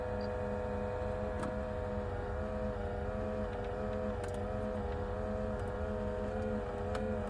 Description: Pioneer NEX radio making loud noise during start up. It is getting worse.